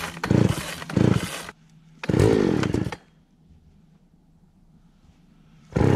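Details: Mid-80s Craftsman 3.7/Poulan 3700 chainsaw with new carburetor and fuel line, after high-speed screw adjustment cured a bog, tested outdoors: short crisp rev bursts, settling back to a steady idle between them. It sounds healthy and responsive.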